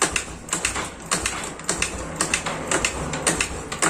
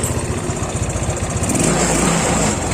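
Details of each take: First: Yamaha Mio Sporty scooter (about 2008–2009) kick-started repeatedly, turning over without catching, then a steady mechanical rush; won't start. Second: Yamaha Mio Sporty scooter that kept stalling, restarted after the fault was traced to a poorly connected ground (massa) connection: steady, even putter with no misses or stumbles; normal idle.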